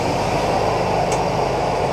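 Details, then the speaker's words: 1976 Chevrolet Impala barn find, stored 22 years, about 20,000 original miles, on a boat tank fuel feed after a holed fuel line: steady even running, no misses, knocks or surging; sounds healthy. "yeah so I'm gonna climb in there going we'll see if she moves it sounds great"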